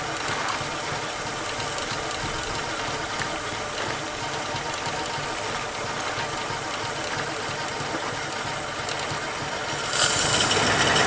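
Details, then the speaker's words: 1950 Plymouth that sat a long time, idling during a tune-up: uneven, stumbling idle with an irregular beat over a clattery background. Pulling plug wires one by one shows the number one wire isn't sparking, so that cylinder is dropping out. "So, number one, it's the wire. Right? It's not sparking. So, number one wire is the problem."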